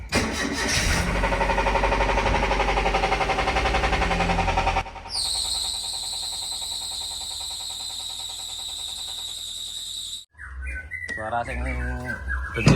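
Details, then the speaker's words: Toyota Avanza engine, previously overheated, heavy oil sludge: rough running with deep, fairly regular knock near four per second from inside the engine, pointing to worn rod bearings from poor oil circulation. "P itu bunyi tapi kalau suara tookotok itu olinya kan gambar olinya Tuh Nyala suaranya tokotokotok tapi ketika olinya mati itu suaranya agak halusan dikit jadi sudah pasti dari dalaman mesin itu"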